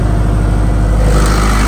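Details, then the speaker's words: Reconditioned Kirloskar HA494 four-cylinder air-cooled diesel 35 kVA silent genset at 100% load, 1500 rpm, recorded standing right beside it: deep even drone, steady beat, no misses, knocks or extra noise; healthy under full load. "100% load प कोई फालतू नॉज नहीं मिलेगा आपको दोस्तों मैं बिल्कुल सट के खड़ा हूं जनरेटर के तब यह आवाज आ रही है आप थोड़ा दूर जाएंगे तो पता नहीं चलेगा जनरेटर चल भी रहा है"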